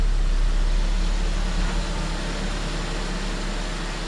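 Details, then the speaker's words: 2003 Saab 9-5 Aero that sat two years, first start after oil pan redone and refilled with oil: deep even idle rumble, steady pulse, no tapping or knocking; sounds really good, expected to smoke. "I have everything buttoned up, oil in the engine, and I'm gonna fire it up, see what it sounds like. Sounds really good."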